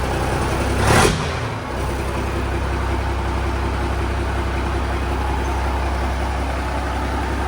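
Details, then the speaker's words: Peterbilt 359 diesel after rebuild, previously noisy from old belts and fan hub: after a brief bump, steady even idle with no squeal or rattle; healthy. "This thing sounds a hund times better."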